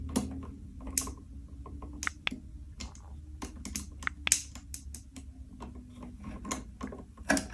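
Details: Buzzing, crackling light switch when the lamp is turned on: irregular sharp crackles and snaps over a low electrical hum from arcing at a loose, badly tightened switch connection, a fire risk.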